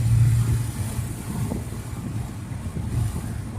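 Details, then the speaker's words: 1989 Toyota Cressida revived after sitting for years, driving at 60 mph around 2,300 rpm: deep, steady, smooth engine rumble with wind noise and no knocks, ticks or misses; normal engine running. "Wow. This thing is nice, guys. Man, does it run good."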